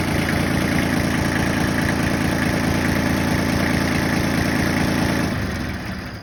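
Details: Yanmar 1601D diesel in John Deere 750 tractor, after freeing a gummed governor rack with lube and cutter following a winter of sitting: steady, even clatter about four beats a second, no hunting or surging; normal idle.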